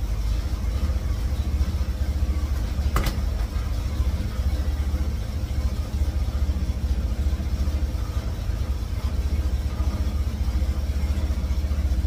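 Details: 1954 GMC COE with GM 4.3L Vortec, cold start on new spark plugs while setting timing: low, uneven idle with a lumpy, wavering beat and no clear knocking; rough running, cause not confirmed.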